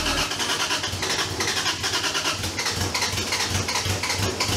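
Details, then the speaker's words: Toyota 2JZ engine, first start after metal shavings found in the oil pan and pan redone: lumpy, stumbling, uneven idle; owner will check coils, then fuel injectors; cause unconfirmed; rough running. "thank you that sounds awful let me make sure all the coil is firing and we're just fine"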